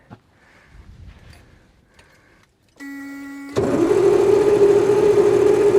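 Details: Kamaz diesel truck, first start attempt after over 6 months sitting, following an oil change. Cab is tilted and fuel was slow to come up, so it was hand-primed. The starter whirs steadily but the engine never catches: cranks, no start.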